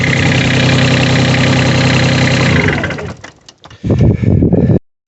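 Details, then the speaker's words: New Holland Workmaster 25 tractor, 3-cylinder non-common-rail diesel, after regaining fuel prime by cycling the key: it runs with a steady, even knock at idle, then shuts down cleanly; normal healthy idle. "sure enough, I talked to a buddy of mine, and he said just turn the key on and let it cycle, let it run for a few minutes, and now it starts."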